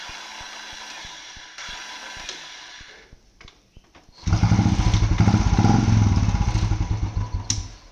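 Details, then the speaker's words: Royal Enfield Bullet: quiet regular khat-khat clacking on the starter without the engine turning over, then it fires and runs; mechanic attributes it to the starter clutch (sel chakkar) slipping and advises genuine replacement parts. "તો આપણે હમણાં cell માર્યો તો cell લાગ્યો નહીં, પણ અવાજ આવતો હતો ખટ ખટ ખટ ખટ. પછી અંદરથી જ્યારે સેલ લાગતો નહીં તો મતલબ જ્યારે બી આ પ્રોબ્લેમ આવે તો એ સેલ ચક્કરનો પ્રોબ્લેમ હોય છે."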